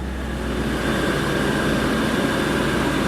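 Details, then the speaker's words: 1994 Chevy Corvette V8, cold start, new distributor, water pump, plug wires, cap, rotor and plugs already fitted: constant idle misfire with uneven stumbling beat, possibly more than one cylinder. "Um, I started it briefly. It has a miss. Listen to it. Constant"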